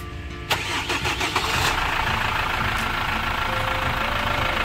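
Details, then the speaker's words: Chevrolet Captiva Diesel FL started after fitting a new AC compressor, not yet charged with freon; short crank catches quickly, settles into even diesel idle without knocks or squeals; normal start and idle. "Karena rodanya udah kita pasang, kita nggak bisa lihat kompresornya. Berarti semuanya normal, bekerja dengan sempurna."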